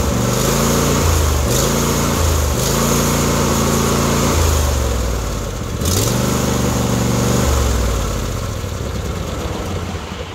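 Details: John Deere D130 V-twin after replacing the intermittent right-hand ignition coil settles into a steady loping idle with a couple of throttle blips; it starts and keeps running cleanly, ignition now firing properly.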